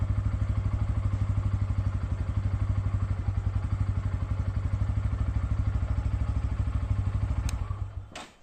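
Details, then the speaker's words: Bajaj Pulsar N160 on a second start of the day, warm; an odd engine noise occurs only on the day's first start: single cylinder idles with an even thump and no clatter, then shuts off. Normal idle. "আমি আরেকবার engine start করছি, কিন্তু দেখবে এবার কোনো আওয়াজ আসবে না।"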